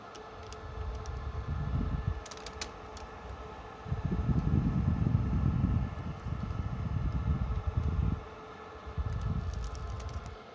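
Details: Dell PowerEdge R730 rack server with one 6-core Xeon, idle, recorded at night from rear then front: steady fan whoosh with soft high whine and low rumbling swells, normal idle fan speed, similar to load.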